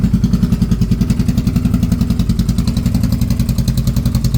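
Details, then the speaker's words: 2022 Can-Am Renegade 1000 XMR after a week sitting, warmed up: uneven lumpy low thump about three and a half beats a second, nearly stalling at idle, running on one cylinder; intermittent misfire caused by a spark plug boot arcing to ground. "Runs on one cylinder. Once you can, I mean, get it to warm up. Then you have to stay on the throttle and keep it running. At idle, it would almost want to die."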